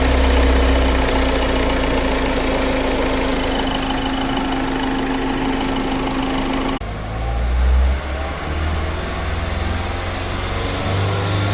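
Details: Ford EcoSport engine runs with a steady tone, then drops to idle leaving an uneven ticking knock over a low drone; engine noise, cause unclear.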